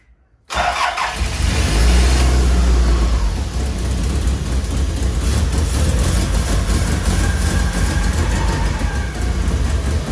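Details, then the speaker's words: Toyota Celica GT-Four home-built engine, first start, manually fuelled and probably running rich, no exhaust manifold gaskets on temporary install; catches and runs uneven and lumpy, note wavering, no smooth idle. Owner suspects old stale fuel in the tank being fed to the engine. "So my theory is the old fuel that's still in the tank is being fed up to the engine. The engine's trying to run off it, but it's a bit lumpy."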